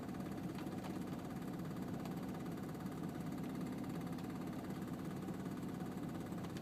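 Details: 2002 Volvo S60 petrol engine at cold start idling in park; dense, rapid knock or rattle over a low hum, with strong vibration felt in the car.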